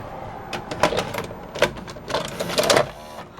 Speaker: that it's accepting the tape now without me having to press the power button looks good to me